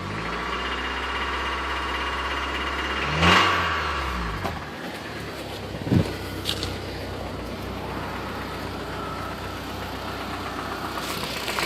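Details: 2010 Mitsubishi Lancer GTS 4B12 petrol engine, restarted after it suddenly stopped: running with irregular knocking, about three to four knocks a second, clearly not normal.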